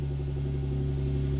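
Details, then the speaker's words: 2015 Jeep Wrangler JK idling 15 seconds to warm up so the new remote start module can learn tach: low smooth steady idle hum, unchanging tone, no ticks or knocks; normal idle. "now we start the vehicle wait 15 seconds that way the vehicle can warm up for SEC - so we can establish proper tack"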